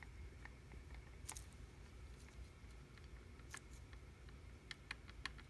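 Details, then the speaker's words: Mercedes 190SL Solex carburetor, which someone had worked on before, throttle linkage rocked by hand: sharp dry clicks in small clusters. The throttle shaft has play from normal wear, and the carburetors are a candidate for a full rebuild. "And you can hear the slop in the throttle shaft. All right, normal wear there"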